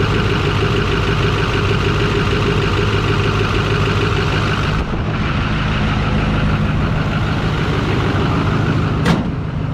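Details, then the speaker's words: Rebuilt LMM Duramax in a single-cab pickup, about 800 miles into break-in on break-in oil, just before its second oil change, idling after a cold start: a steady, even, smooth low diesel rumble with no knocks or rattles, normal idle. "a little cold start but other than that oh she she's running good she sounds good ain't too bad"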